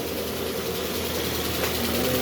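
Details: Ford Fiesta that is overheating and misfiring: loud, busy idle with an uneven, lumpy thrum underneath, a petrol engine misfiring at idle.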